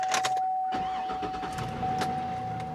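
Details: GMT800 truck, unusually nice inside with factory radio: fires right up with a short crank and settles to a quiet, even idle under a steady chime; tire monitor and airbag warning lights show. Healthy start.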